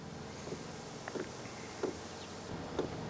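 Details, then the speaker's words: HCALORY Toolbox diesel heater, first start via remote, for Ford F-350 camper: soft, uneven ticks about every half second, getting quicker, from the fuel dosing pump priming before ignition; normal. "Obviously it needs to probably prime the pump and do a bunch of other stuff. And then we'll see if it spurts out hot air and smoky exhaust. So I can hear the pump going right now."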